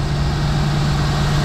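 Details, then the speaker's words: Mercedes G-Wagen after starter repair, fully reassembled, at idle: deep, steady low hum with an even beat and no knocks or stumbles; smooth, healthy idle after repair. "fully assembly all look straight sounds good all right idle down I think I called that a win guys let's go big bad G back up in action"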